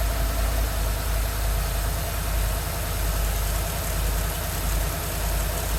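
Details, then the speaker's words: 2013 Ford F150 after replacing a seized alternator, the battery and the belt: engine starts and settles into a smooth, even idle with no belt squeal or shaking; charging at 14.55 V. "all right nice and good no squealing no shaking no nothing it all looks good sounds good"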